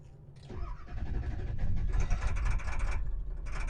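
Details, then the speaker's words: 7.3 Powerstroke diesel after clearing codes, warming up: catches and revs with uneven, lumpy chug that stumbles; owner suspects half the engine not firing; running rough. "that is very much not happy maybe I really do just have half the engine out"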